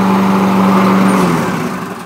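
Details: Toro lawnmower that kept starting and dying, after pouring out old gas and crud clogging the fuel line to carburetor: smooth even note, then winds down at shutoff; normal running.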